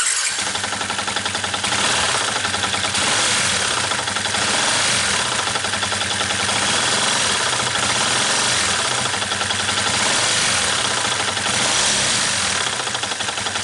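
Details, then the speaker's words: Yamaha New Vixion single-cylinder motorcycle run low on oil through an oil leak: fast, loose metallic clatter throughout; friends suspected the crankshaft, but teardown showed piston slap, a noise that resembles crankshaft knock. "phát ra tiếng kêu, có thể từ một số bạn bè em cho rằng đây là tiếng kêu của crankshaft và nó. Hóa ra là sau khi tôi kiểm tra và tôi tháo rời động cơ thì hóa ra vấn đề là ở piston,"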